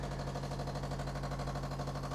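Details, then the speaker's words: Philips LatteGo 5400 coffee machine descaling/cleaning cycle, very hard water, after 558 drinks; quiet, fast, steady buzzing pulse of vibratory pump, even and unbroken, brownish water coming out; normal pump operation. "that's what it sounds like okay you see and the water is kind of brown coming out there"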